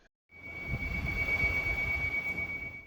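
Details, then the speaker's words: Large industrial Big Ass Fans ceiling fan: steady, thin high-pitched squeal at one pitch over a soft low rumble. This is generally caused by the static tube contacting the fan hub. "generally caused by the static tube contacting the Hub of the fan"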